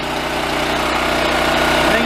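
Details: Yamaha EF4600A generator left outside for years, after clearing a plugged fuel valve screen, running with airbox missing: steady, even hum with a slight pitch rise near the end, no misses or surging; running smoothly.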